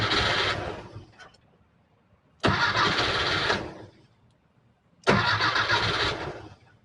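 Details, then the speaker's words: 1968 VW Type 3 original fuel injection, hard cold start, correct computer fitted: three short cranking bursts about 2.5 seconds apart, never catches, hit and miss on fuel. "Yeah, it's like it doesn't know it's supposed to start. It's hit and miss on the fuel."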